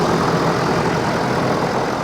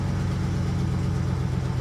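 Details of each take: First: Ford F-350 ambulance at auction, high mileage, idle with hood open: even, smooth idle with a steady low rumble, no tapping or misfire; sounds healthy. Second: Ford F-350 ambulance, 5.4 Triton V8, about 240,000 miles, jump-started: deep idle with a lumpy beat and a cylinder dropping out now and then. Suspected misfire that gradually smooths out.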